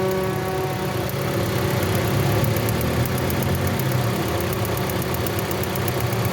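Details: 2017 Toyota Corolla that broke down on the road: idle stumbles unevenly with about three irregular beats a second and engine vibration; misfire traced to a shorting ignition coil, which was replaced.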